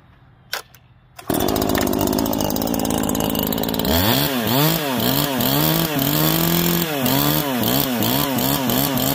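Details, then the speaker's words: New Neo-Tec NH843 chainsaw (a clone of the Husqvarna 543 XP) on its first start after the idle speed screw was turned in: one quick pull, it catches immediately and revs up and down cleanly with even firing, a normal start and run. "it R starts and runs easy all right"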